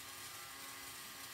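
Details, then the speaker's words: Vintage Lionel 3927 track cleaning car motor after disassembly, cleaning and repair, on track: light even high whir with fine ratchety gear buzz, no stalling or grinding; rotates very well, normal motor run. "so it does work it's it rotates very very well now everything runs good"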